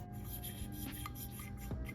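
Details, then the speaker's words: 2007 Honda CRF150R cylinder head rebuild: a valve being turned on its seat after lapping gives a soft, even rasp with no gritty catch, showing the valve is properly lapped. "then they're properly lapped"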